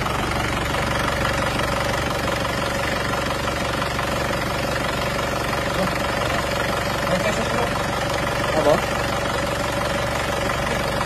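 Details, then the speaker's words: Isuzu Panther pickup diesel after repairs and after the injection pump timing was advanced slightly to cure hard starting: steady, even idle with a soft uniform clatter, no misses or knocks; runs smoothly. "halus suaranya halus Gak rugi baru karena ternyata halus banget"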